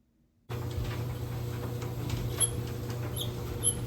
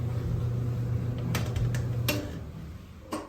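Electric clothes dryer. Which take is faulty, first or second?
first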